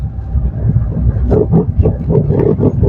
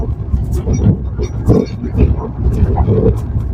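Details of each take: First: 2017 Maruti Suzuki Swift Dzire on rough road, heard from below the steering, right side, worst going downhill: rapid hollow knocks about three or four a second over bumps, steering rack knock from a worn rack bush. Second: 2017 Maruti Suzuki Swift Dzire driven on the same rough road after steering box work and new rack bush, stabilizer link rods and bushes, with the mic under the steering. Only tyre thumps and body rumble, no rack rattle; the steering rack is normal.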